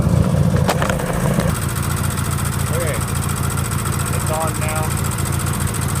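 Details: Sears GT18 garden tractor's small engine idling with a light quick tick on the beat from the left intake valve having too much gap; owner plans to replace the valve or weld its tip.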